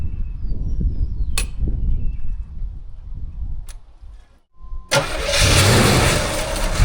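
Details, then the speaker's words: 1984 Monte Carlo SS long stored in a barn: low churning crank, pause, brief rough catch that dies; cranks but won't keep running, fuel not yet drawn up from tank. "Sounds like it's gonna fire off pretty easy actually, and it does sound a little bit thirsty."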